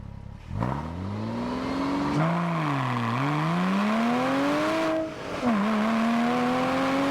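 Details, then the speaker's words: Porsche Cayman S 987, salvage rebuild with an aftermarket exhaust, driving on a wet road: the engine note climbs hard through the gears with a rising howl and dips at shifts; slight drone around 2,500 rpm, about 3,000 rpm at 70 mph; loud but healthy. "with the exhaust system on this thing absolutely howls there is a little bit of a drone around 2,500 RPM but you can easily drive around that"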